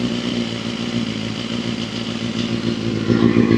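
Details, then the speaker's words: Honda CBR250RR MC22 four-cylinder being restored, first runs after refitting the carburettors and an aftermarket radiator: ragged, uneven revving that smooths as it picks up; rough running, owner blames old fuel and a slightly stuck ring. "Curious what's that? Sounds just a bit off. something."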